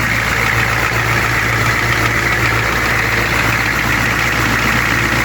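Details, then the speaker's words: 1995 Georgie Boy Swinger 32ft American diesel motorhome idling: even, steady diesel clatter, no misses or surges, smooth and settled; normal idle, test drive still pending to confirm. "So again, it's just got to go for a test drive to make sure that it's running right, but it should be."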